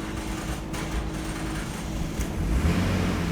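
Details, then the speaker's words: 2002-2006 Nissan Altima after fuel pump module replacement, first start: rough, uneven crank then catches into a ragged idle; hard start expected from air in the fuel lines after the pump job. "all right that's started a little bit of a hard start but that's normal like I said there is air in the lines"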